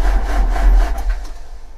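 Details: 2004 JCB 2CX (212S) with Perkins Tier 2 diesel and Bosch injection pump, after glow plugs: deep, rhythmic cranking thumps that slow without firing. The no start was ultimately traced to a leaking fuel sediment bowl admitting air and losing prime; a weak electric lift pump was also replaced.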